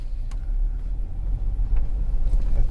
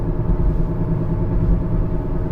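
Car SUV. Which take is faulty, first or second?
second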